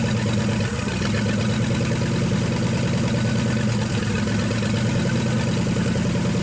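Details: 1963 Pontiac 389 V8 first start, no hood, hot-wired points ignition: deep, steady low rumble with an even beat and no knocks or ticks; idles smoothly, normal idle.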